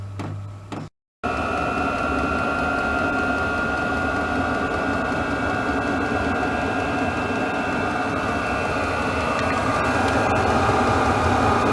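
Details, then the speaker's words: Newly installed diesel heater in an RV at startup: steady ticking about three to four per second under constant fan hum and whistle, metering pump clicking normally, expected to speed up before hot air comes out. "But I hear the pump, which is a good thing, which is what I was expecting to hear. And I think that's just going to gradually get faster and faster until this thing starts pumping out heat."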